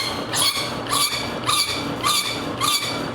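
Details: Omega Super Charger 4500 psi air compressor, started after a full seal-replacement rebuild with its water cooling pump flowing: even pumping strokes about twice a second with a clean hiss on each stroke and no knocks; normal compressor running.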